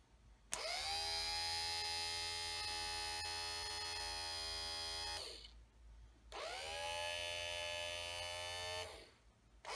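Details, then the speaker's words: 1965–66 Ford Thunderbird power window motor, bench-run after cleaning, greasing and reassembly of a stuck unit: smooth even high-pitched whir, stops, then runs the other way; healthy window motor. "Now I'm going to run it, and when you run it, you hook negative. Here it is, sorry, to black, the female, and you hook power to either side, the yellow or the red, doesn't matter. Sounds good."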